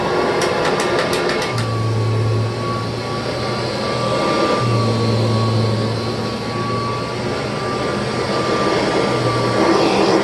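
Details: 1988 Kirby Heritage II Legend vacuum's formal test run after refurbishment with new bearings, brushroll spinning. Steady motor hum with a constant mid-pitched whine and no grinding or rattle, running smoothly at an even speed.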